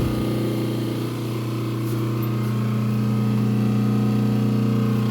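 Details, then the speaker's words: Transformer feeding a Fortus 400mc 3D printer, just powered on at the circuit breaker, ear placed against it: steady, even low electrical hum, no buzzing or rattling, possibly slight vibration; normal transformer hum. "okay so let me put my ear on it here and see if I can hear it yep okay so the Transformer is humming and that's okay that's good"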